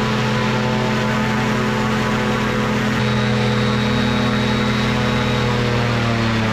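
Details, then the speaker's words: Two-stroke microlight engine with three-bladed prop at high RPM on the ground: loud steady propeller drone that shifts pitch slightly partway, then holds revs firmly under load; normal strong high-RPM run. "neighbors will really appreciate a nice bit of of Aviation she's got some power some serious power and she just she she held the RPM"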